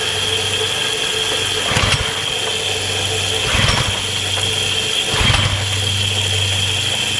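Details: Kärcher pressure washer, small petrol engine, tested with water on but no spray gun fitted: steady drone holding speed as water flows, only a mild surge every couple of seconds. Runs fine under load; pump pressure is very high.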